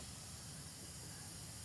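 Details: 2005 Isuzu D-Max with AC not cold and compressor not engaging, gauges reading 0 psi low and high: constant, even hiss of refrigerant escaping past the hardened O-ring at the big AC line fitting, a leak common past 100,000 km.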